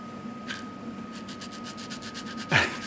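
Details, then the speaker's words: Loose bearing from a stripped 2012 Ford Focus Mk3 1.6 5-speed manual gearbox that lost its oil and jammed in gear, spun by hand: dry, gritty rasp pulsing about ten times a second; worn, rough bearing. "that's knackered anyway you can hear that bearings noisy as hell"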